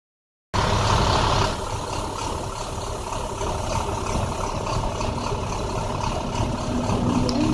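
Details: 2009 International bus diesel at idle: rough, uneven running with irregular stumbles and low chuffing under a steady clatter; bad misfire, cause unknown.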